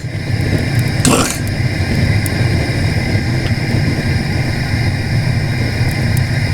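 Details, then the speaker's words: Small sprung-arch stoneware kiln firing bisqued pots, fired aggressively, fan-driven burner: loud steady low roar with a brief hiss near the start, even and unbroken; burner firing hard and running normally. "like i said i don't want to go too far with this pretty aggressive right now looks like this fan is going off"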